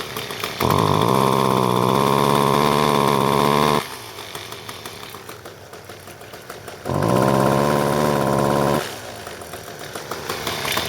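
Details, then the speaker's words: John Deere S1400 two-stroke weed eater with good compression that bogs on throttle: after the choke is taken off, revving rises to a strained, flat high buzz then drops back, exhaust choked by a carbon-plugged muffler. "There it is running. It's very, very, very, very, very quiet. When you"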